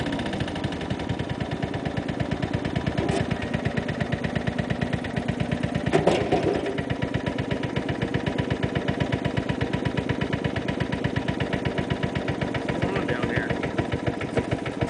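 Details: Snow blower small petrol engine with hard regular knock through each firing beat; owner first suspected rod knock, but knocking went away minutes later and oil is fine, so cause unknown.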